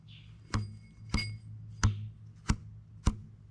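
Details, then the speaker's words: Ferrari engine for a 914 swap, not run in a long time: plucking the short span of each of the two timing belts gives short, dull low twangs at mismatched pitch; belts out of tune with each other and aged out from sitting. "and now this one right they're Out Of Tune relative to one another forgetting if they're tight enough uh these belts at the very least have aged out"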